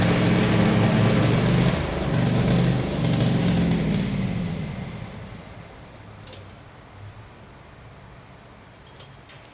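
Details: Craftsman FS 5500 lawn tractor before its carburetor was cleaned: a low engine note swells and sags unevenly for a few seconds, then dies away; this is surging, and the owner says there was dirt in the carburetor.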